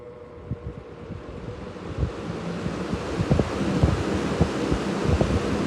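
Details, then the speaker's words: Wizard 20-inch two-speed box fan, four blades, rebalanced after earlier vibration, half-inch shaft motor drawing 4.2 A at start and 3 A on high: soft whoosh with a low, even hum, no rattle; normal fan running. "For this being a fourblader, it's really not that loud. Quite the air mover, though."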